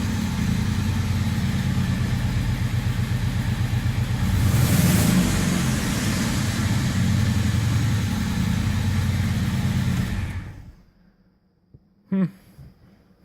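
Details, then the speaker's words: 1978 VW Scirocco with swapped 24v 2.8 VR6: deep, loud rumble with a fast pulsing beat swelling as it revs, then cutting off; possible exhaust leak or noisy muffler, idle smoothing out. "it sounded okay kind of exhaust leak noisy miler something going on over here"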